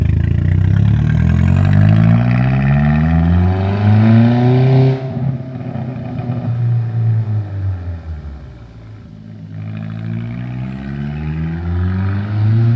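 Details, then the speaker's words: 2002 Audi A4 B6 after used turbo replacement fixing boost, vacuum and exhaust leaks, EGR deleted: revs up cleanly through two smooth sweeps and drops back to an even idle, no knocks or whistles. Healthy running. "There you go. Car starts perfectly."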